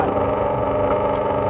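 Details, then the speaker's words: Bench grinder motor checked during repair, with ohm test, while the customer reports it cannot grind though the motor spins: steady, even hum with constant pitch and no knocks, grinding or wobble; motor normal, gear set to be inspected next. "ที่เท่าไหร่คะเช็คแล้วมอเตอร์ปกติค่ะ"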